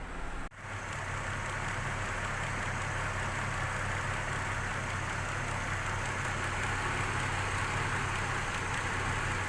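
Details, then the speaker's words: Petrol car after replacing faulty spark plug on misfiring cylinder (coil suspected earlier): steady even idle hum, no stumbles; misfire gone, normal smooth idle. "مثل ما احنا شايفين هلا هيك انتهى المسفير، يعني كان مشكلتنا الرئيسية اللي هي بواجي."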